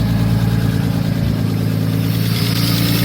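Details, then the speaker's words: Nissan R32 Skyline with RB20 engine on its first start: deep, steady lumpy idle through a loud open exhaust, even firing, no knocks, audibly noisy injectors; fresh engine idling normally. "and she's running good noisy injectors"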